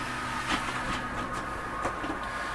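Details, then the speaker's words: Coachmen Catalina 293QB RV slide-out room extending after the slide switch is pressed on the control panel: steady low electric motor hum with a faint whine and a few light knocks as the room moves. Normal slide-out motor operation. "As it's going out, I'll go over the rest of the control panel."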